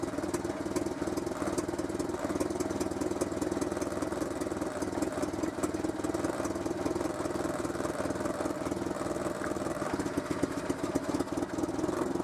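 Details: Renault Super 5 idling after a head gasket replacement, coolant reservoir between min and max; steady, even mid-pitched hum with no misses or knocks over about twelve seconds; normal idle.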